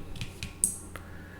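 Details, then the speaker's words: Raspberry Pi Sensor HAT relay triggered by an ultrasonic distance sensor via MicroPython: sharp, dry clicks at irregular half-second gaps in a quiet room with the LED on, the relay switching on and off normally as an object moves in front. "you can see the led is on and you can hear the clicking sound that means the relay is going on and off and on and off"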